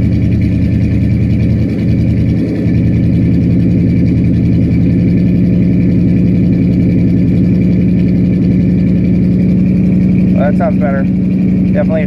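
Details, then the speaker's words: Carburetored "Dirtball" engine with choke set down, idle screw being adjusted (advance checked OK): steady, fast, even idle with deep drone and no misses; high idle from carburetor idle screw setting. "well choke it's definitely set down yep see if we can't get it set to high idle"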